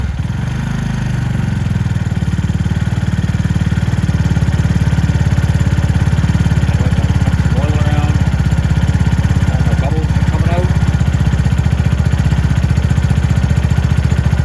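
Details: Venom X22R Max 250cc motorcycle idling after oil cooler replacement and an oil top-up: steady, even low thump with no knocks or ticks; normal idle.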